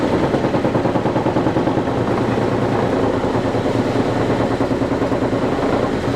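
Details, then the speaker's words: Vintage Lortone NS/8 8-inch lapidary arbor, first power-up: motor hum under fast continuous rattling buzz as particle-board base bangs on an unlevel tabletop; owner plans cardboard underneath to fix it. "The noise is mostly coming from the particle board banging against the tabletop, which is not a level surface."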